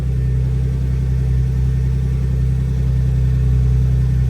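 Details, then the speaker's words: Turbo BMW E36 first start after rear subframe reinforcement and polyurethane bushing install, car in the air, fired first try despite empty fuel lines: steady, even low idle rumble, no knocks, misses or rattles; no leaks, exhaust sounds good. "Nothing seems to be leaking. Exhaust sounds good. I think we're Gucci."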